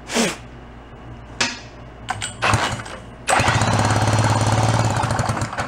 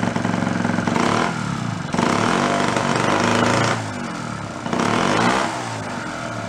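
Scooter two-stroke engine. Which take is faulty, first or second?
first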